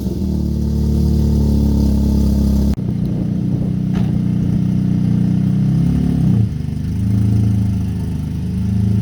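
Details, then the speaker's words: G35 with aftermarket tubular headers, started and moved: a loud, deep, blatty unmuffled exhaust note from the downpipe left disconnected from the header, before the header repair for steering shaft contact causing the dash rattle. "but you'll hear how the exhaust is kind of open right now sounds"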